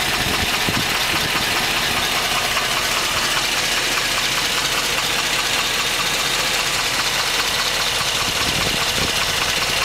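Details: 2010 Hummer H3 Alpha, LH9 5.3L all-aluminum flex-fuel V8, 2,500 miles, after about one hour of running: a light hollow knock, about 2.5 per second, that does not fade. GM calls it piston slap; owner thinks it sounds like rod knock.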